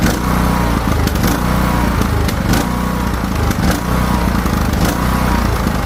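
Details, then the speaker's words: Craftsman T1600 riding mower after new carburetor replacing a corroded one, fresh fuel, mowing: single-cylinder engine runs steady but its beat rhythmically rises and falls, speed hunting under load; surging, cause unknown to the mechanic. "I don't know why it was surging. New carb. The hose is still on."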